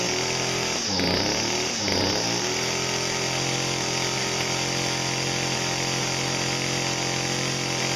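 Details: Two-stroke saw on cold start after sitting seven months with pre-mixed ethanol-free small-engine fuel left in the tank: blips up twice then settles to a steady, even high-pitched buzz with no stumbling or surging; runs clean.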